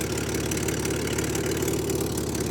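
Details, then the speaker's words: Air-cooled Chevy Corvair with swapped-in used carburetors, outdoors at 18 °F: steady, even idle with a smooth low rumble and no misses or surges; cold engine now idles cleanly on its own. "so cold two episodes in a row now we've got two of the air cooled cars in sub 20° fit temperatures idling on their own which is huge for my pile of"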